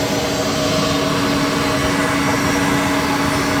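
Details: Citizen L20 CNC Swiss lathe main spindle running at 7,000 rpm, with a brand new spindle drive: smooth, very quiet steady whir with constant clean tones and no grinding or rattle; normal running.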